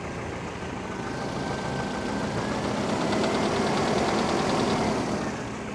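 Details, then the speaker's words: Mercedes W202 with M111.975 petrol engine just after a garage overhaul (timing chain, alternator, power steering, gaskets replaced): idle carries a sharp steady tapping about four per second; owner suspects a worn piston in cylinder 4, unconfirmed; engine knock at idle. "there is a real knock real knock and we could not understand the snitch him I thought it was a knock of 4 cylinders after this one of this capital"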